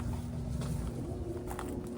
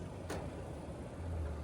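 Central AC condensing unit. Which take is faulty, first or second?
first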